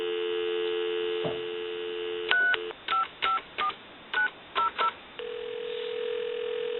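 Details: Western Electric 2500 telephone with touch-tone keypad upgrade, on a regular line: steady dial tone cuts off cleanly, then eight crisp, even touch-tone beeps; dials normally.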